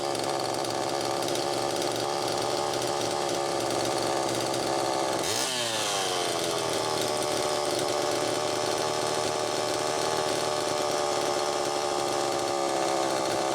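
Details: Homelite Super EZ chainsaw test run after carburettor repair, high needle reset from about four turns out to one turn: screams at high revs, pitch jumps and holds even higher and thin; lean, crankshaft seal suspected bad.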